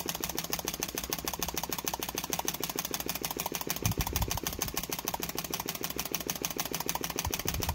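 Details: Machined flame licker "Nick" engine with taper-bored flywheels: fast, even popping about three or four beats a second with a crisp snap from the ball valve each cycle; runs steadily and healthily.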